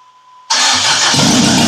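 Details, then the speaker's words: 1972 Toyota Celica with swapped JDM 18RG twin-cam engine, starting after the swap with choke pulled and a little gas: it catches and roars into a loud, harsh, rough run, shaking hard enough to threaten the battery on its wood block. "Oh my god it’s running! It’s shaking so bad. It’s gonna knock the battery off of it’s wood block."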